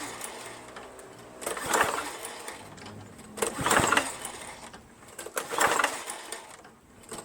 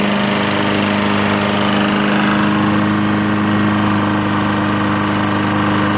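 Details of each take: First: Lawn-Boy Insight 10682 mower, Tecumseh 6.5 engine, no air filter, starting fluid sprayed in: repeated recoil pulls with quick whirr, no firing; feels like no compression, owner suspects no spark, cause unconfirmed. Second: Lawn-Boy Insight 10682 mower, Tecumseh 6.5 engine, after cleaning water-contaminated fuel from the tank, blade spinning and very low on oil: steady, even drone at constant speed with no misses or knocks, running normally.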